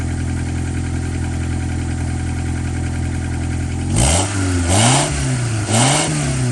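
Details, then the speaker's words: 1998 Honda Accord after a muffler replacement idles smoothly, then three quick clean blips rise and fall evenly with no rattle or blowing. Exhaust now leaves through the tailpipe and no leaks were felt. Normal revving. "Sounds a little deeper. I mean, you can really hear the engine noise still, but at least the air is coming out of there, not straight into the trunk. Give it a few revs."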